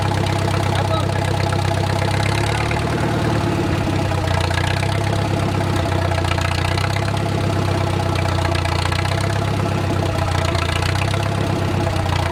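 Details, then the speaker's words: Wartime H tractor, first run after 20+ years sitting, idle slowed down while warming toward operating temperature with a typical oil leak burning off: a deep, steady, low-pitched idle with an even thump and no knocking or tapping, a normal idle. "all right so we slowed down the idle a little bit we're just going to let it build up some heat and see what it does"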